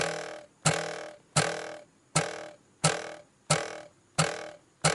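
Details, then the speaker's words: Ford Mustang S550/GT350 dash: sharp taps ringing with a hollow metallic resonance as the audio module, mounted to metal below the instrument cluster, is struck; the loose module mimics a cluster rattle; fix uses sound-deadening mat. "this is where the problems coming from and being that it's mounted to the metal right below the instrument cluster it actually simulates having a - rattle"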